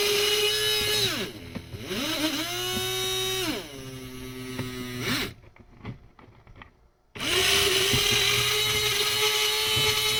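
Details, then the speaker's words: HO-scale model monorail, very stiff, attempting a full circuit: thin electric whine sags, recovers, then dies and restarts; small motor labouring against stiff drive, cause unconfirmed. "all right now let's try let's see if it'll complete a circuit man this thing is so stiff"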